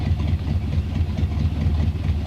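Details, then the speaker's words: 1970 Donohue Javelin, 390 V8 with rebuilt original Motorcraft 4300 carburetor, warming up: deep, steady idle with an even, slightly lumpy exhaust pulse and no knocks or misses; smooth and healthy. "sounds pretty good car is smooth idles along very well down the road fun to drive"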